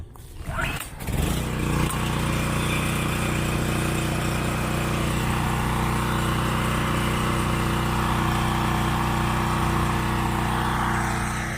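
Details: Generator on a coffee trailer, pull-started with engine switch on, breaker off, fuel open, checked before work: catches after a brief pull and settles into a steady even drone, no misses or surging; running normally.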